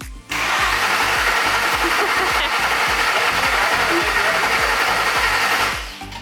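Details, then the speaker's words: Ford Coyote V8 with DW injectors and gen 2 heads, freshly swapped, cranked on starter with fuel pump unplugged to prime oil, about 10 seconds per crank: steady starter whir with even compression pulses, no firing; normal priming crank. "i've already turned it over twice for a good couple like 10 seconds or so and i'm going to keep doing that a couple times to get everything nice and primed"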